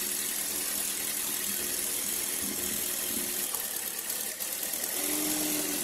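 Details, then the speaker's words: Car engine idling with one ignition coil lifted off to demonstrate: quiet idle with a faint uneven pulse of about four beats a second and a wavering note. The dead cylinder changes and increases engine vibration, a misfire from the disconnected coil. "So kung Napansin niyo kanina nung inangat ko yung ignition coil nag-iba yung nginig nung ano nung makina"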